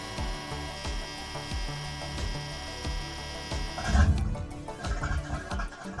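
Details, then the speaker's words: Boat's port engine after its unresponsive throttle linkage was reconnected, started after airing out the engine room: low, even thumping settles into a steady beat, then picks up cleanly when the throttle is opened. Normal running. "That's the throttle working. You hear that? Oh, that's a good sound. It's connected and working."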